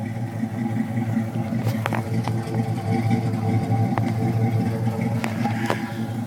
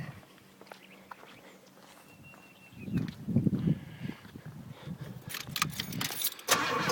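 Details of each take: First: 1980 Pontiac Trans Am V8 with true dual 2-1/4 in exhaust and original 40-series Flowmasters: deep even burble with a steady low rhythm and a few light clicks; idles smoothly, choke possibly sticking. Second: 1980 Pontiac Trans Am V8 with rebuilt carburetor and true dual exhaust, cold start: cranks, catches and holds a fast, steady high idle that won't drop without blipping the throttle; owner suspects a sticking choke.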